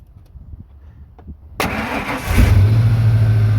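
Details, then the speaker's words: Ford truck started after sitting about 3 years, fuel pump heard cycling, battery on charger, started with universal Ford starter key. Starter cranks briefly, catches, settles into steady slightly fast idle; sounds healthy, owner notes slight misfire. "whoa all right sounds pretty good a truck that's been sitting for a few years"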